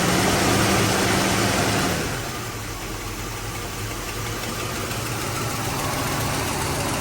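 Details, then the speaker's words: 1985 Mercedes 500SEC Euro, finished warming up: engine drops from a raised rev back to idle and settles into an uneven, lumpy beat about three a second; a misfire only at idle, smoothing out under acceleration with plenty of power. "so there's plenty of power but the idles back down and there's a misfire so there's plenty of power when you accelerate it Smooths out when you accelerate but when you come to a stop right it it does that"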